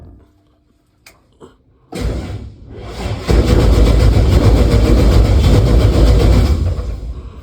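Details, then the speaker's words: Start of a 1965 Impala V8 build after wiring was finished: brief cranking, then fires into a steady, even rumble with no knocks or stumbles; runs good, though there is a problem with the headers. "But as y'all heard in the little small clip, it runs good."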